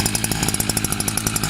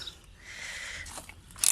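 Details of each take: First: New Kawasaki TJ53E two-stroke brush cutter, just cold-started and slow to start. It runs on choke with a brisk, even putter of about eleven beats a second. It stalls if throttled on choke, so the choke is then turned off. Normal cold running. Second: Newly bought two-stroke brush cutter (scythe engine), cold, low on fuel. Several sharp pull-cord rips with brief sputters that die at once: hard starting. Owner suspects the low fuel; cause not confirmed.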